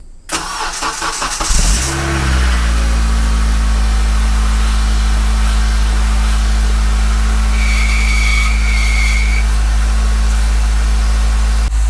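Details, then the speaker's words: 2006 Acura RSX base 5-speed, 230k miles on the original engine, cold start filmed about two weeks earlier: catches quickly into a steady low idle, then a thin high whistle rides over it for a couple of seconds. Whistle began a while ago; source unconfirmed. "but yeah as you can see that that Whistling noise too a little bit is kind of concerning uh that started out a while ago too"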